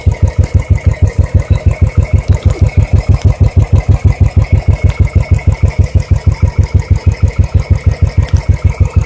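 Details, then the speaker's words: Royal Enfield Electra at about 550 km, just before first service, exhaust sound at idle: steady, even thump about three beats a second with a deep note; normal idle. "This is the sound which is coming from the exhaust before my first service."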